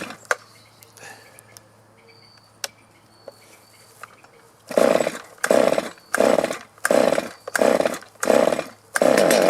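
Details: Stihl chainsaw that was hard to start and bogged, carburetor at factory setting, after warm-up: revs cleanly in repeated even bursts, picking up crisply and settling back without bogging; normal running.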